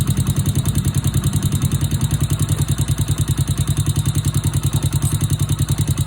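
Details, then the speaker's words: Small single-cylinder Honda Wave/C70-type bike idling after new cylinder, piston, rings, cam chain, tensioner and oil pump gear: quick steady top-end tapping from excessive valve clearance, before valve adjustment. "โอเคเสียงที่ได้ยินแต๊กๆๆๆๆเป็นเสียงของวาล์วนะครับเดี๋ยวขออนุญาตตั้งวาวสัก"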